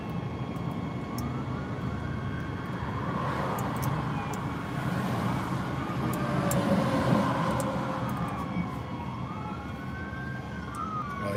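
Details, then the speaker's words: Inside a vehicle in a jam from an accident on I-55 heading toward Poplar Bluff, Missouri: over steady traffic rumble, a rising and falling siren grows louder from behind, a state trooper approaching. "here are emergency vehicles somewhere probably come from behind"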